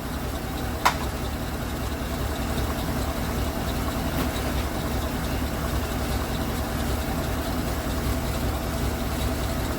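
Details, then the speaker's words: Ford LTD with new aluminum radiator replacing leaking one, coolant topped up, idling until thermostat opens: low, even rumble holding steady idle with no knocks, misses or hunting; running well. "then we'll see what ends up happening but uh yeah no she's she's running well that's good"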